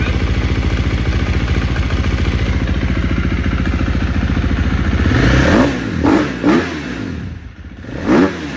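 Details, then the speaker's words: 2018 KTM XCF 350 dirt bike after replacing cracked fuel pump filter that caused sputter and bog, seat off: steady even idle picking up cleanly through quick throttle blips, no bogging or sputter; normal idle and revs. "looks good sounds good okay next step is uh put the seat on and then I'm gonna take it for a test drive"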